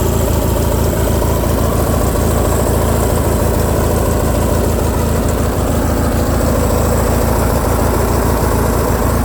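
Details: Craftsman lawn tractor, Briggs & Stratton opposed twin, after carburetor repair for surging, choke on, throttle halfway: loud steady twin-cylinder drone at fairly fast idle, no surging; fix worked, revving high so idle screw may need backing off.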